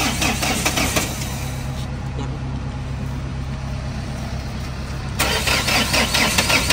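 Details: Mahindra Scorpio engine, owner says seized, driven to Ludhiana for engine work after jerking in turns: harsh, rough clattering churn as it turns over and runs, with an uneven heavy knock suggesting something broken inside. Knock on start.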